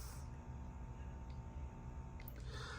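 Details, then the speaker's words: Heathkit 1144 power supply, with its 3055 transistors replaced after a short, powering a Ten-Tec Omni 6 transceiver at full transmit power: a faint, steady low hum with no buzz or crackle, meaning the supply is working normally. "So finally, here's how this thing sounds when it grunts, when it works. Here you go. Little hum going on, right? You know it's working."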